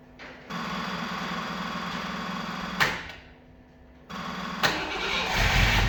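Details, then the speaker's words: Opel Manta hatchback with Ascona front end, unstarted for about 20 years, still on old plugs: engine catches and runs unevenly for two seconds, dies, then fires again and struggles to hold a rough, unstable low idle. "well it runs a little bit Missy but it hasn't been run for 20 years or so"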